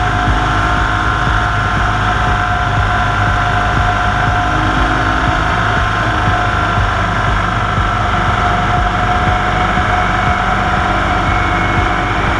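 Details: 1998 EZ-GO TXT gas golf cart, bought at auction as "does not run", now running after the engine was fixed: loud, steady drone with an even beat and no knocks or misses; small engine running cleanly and holding speed.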